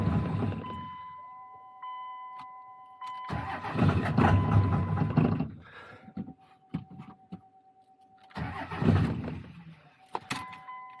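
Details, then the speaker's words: 2000 Dodge 2500 diesel, 191,000 miles, cold: starter grinds several seconds before firing into a lumpy idle; suspected injector bleed-down, intermittent no-start complaint; long crank / hard start. "Okay, well, sounds like maybe we have a little bit of an injector bleed down."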